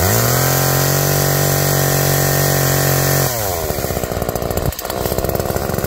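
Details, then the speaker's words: Tuned-up Homelite two-stroke chainsaw cutting wood after cold start: high steady scream holds even revs through cut, drops to burbling idle; chain oiled well; owner notes slightly rich, bogs on larger logs; normal running under load. "all right well that was a pleasant surprise a nice little machine and cut really well actually the chain is wet so it's getting oiled nicely"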